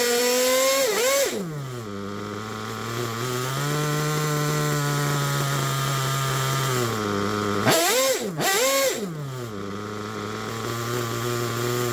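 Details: Picco P3TT DLC nitro engine with about 10 gallons through it, new bearings and conrod, worn crankshaft, sleeve damaged by a homemade reamer and a damaged block: screams on blips, then a wavering, hunting idle that won't settle; temperature good.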